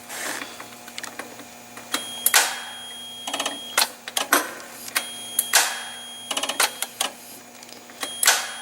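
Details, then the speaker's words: Forklift that won't start: sharp, irregular starter clicks in bursts while the starter tries to engage but the engine does not crank; a gas fuel-lock solenoid was also being checked. "that clicking sound that you hear it's actually from my starter so I see a bit closer see but it's trying to move"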